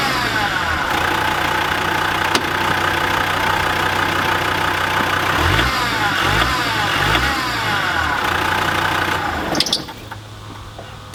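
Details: Land Rover Defender TD5 diesel at idle: fast, fairly regular chirp of about three per second over the engine from a worn idler pulley bearing in the belt drive.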